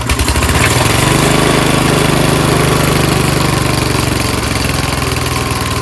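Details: Old monster snowblower's small single-cylinder engine, stored winterized for years and being sold as is, started on choke with starting spray through the air-filter vent after showing good compression; it fires, catches and settles into a quick, fairly even putter, a normal start.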